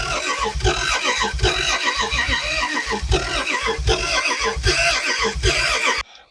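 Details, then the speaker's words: Car sitting about 40 years, newly hooked-up coil, points not cleaned, fuel fed to the carburetor. The starter churns unevenly with occasional coughs and backfires up the exhaust, but it never catches. Timing is suspected. Crank, no start. "backfired up the exhaust a couple times it's it's close you can tell it wants to start"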